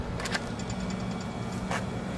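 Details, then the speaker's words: AC outdoor unit with fuse block reinserted and power through the contactor: steady low electrical hum as the compressor tries but fails to start without its capacitor. "you might hear the compressor humming trying to start but um without the capacitor it's not going to be able to"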